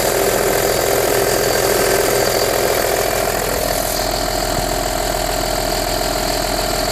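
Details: Audi A4 B6 2.5 TDI 120 kW, cold start in cold weather: diesel idle clatters steadily with a constant mid-pitched tone on top that shifts halfway through; strange noise, source unclear.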